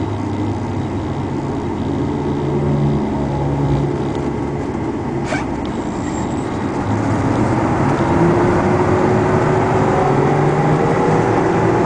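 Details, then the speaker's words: 2001 Chevrolet box truck driving on the road, used for deliveries: steady, rising whine from the rear differential over road and engine noise; present for the last 10,000 miles, may eventually need a used rear end. "if you can hear that whine in the rear end now the guy has told me that it's been like that for like the last 10,000 miles so it doesn't bother anything"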